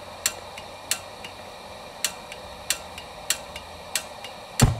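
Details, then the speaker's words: Coleman propane lantern with gas hissing: sharp dry igniter snaps about every half second to second that never light it; the igniter's spark tab had been bent down, so it fails to throw a spark. "so yeah this igniter i even there's a little tab in there that sparks i had to bend it down so you won't even throw a spark"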